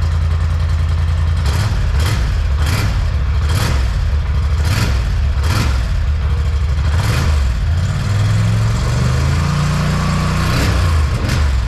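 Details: 2021 Polaris Sportsman 850 Highlifter ATV on the stock exhaust, before the straight pipe is installed, cold start: steady low choppy exhaust note with regular thumps, a few light revs near the end, even firing. Normal healthy idle.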